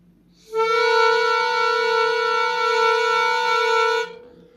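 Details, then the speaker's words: Musical whistling kettle whose whistle works only intermittently when boiling: blowing into the spout by mouth gives a clean, steady reedy note for about three and a half seconds, so the reeds sound freely; the attempted fix ultimately failed. "так от в носик дую щчас не знаю може я його не зніму але почуєте в носик дую і звук є о сечас почуєте"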